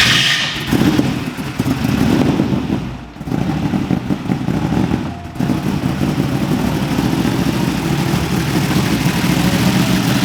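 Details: 1,500 BHP V8 Nissan GT-R R35 drag car, first start in about 6-7 years, a bit flooded: after a few uneven catches it settles into a steady, slightly lumpy idle, no knocks or ticks, healthy.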